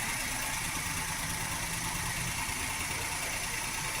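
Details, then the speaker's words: 2013 Maruti WagonR K-series petrol engine idling with an uneven, lumpy beat and hunting revs as one cylinder drops out, with no warning lights. An ignition coil fault is blamed and the coil is replaced. "काफी ज्यादा दोस्तों engine hunting कर रहा है। और इसके dashboard के metre में दोस्तों कोई एक्स्ट्रा लाइट भी नहीं शो कर रही है।"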